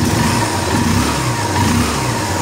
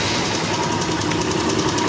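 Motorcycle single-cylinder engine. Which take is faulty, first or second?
second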